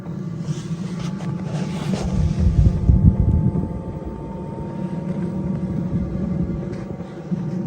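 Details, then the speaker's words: Newly installed diesel heater in a VW T4 van, pump primed, first test run on setting 20: steady low rumble, quick ticking fuel pump and rising fan note as it fires up and warms; running normally. "Sounds like it's warming up at the moment. Yeah, it's getting faster. So you can hear the pump, hear it firing up. It's getting faster."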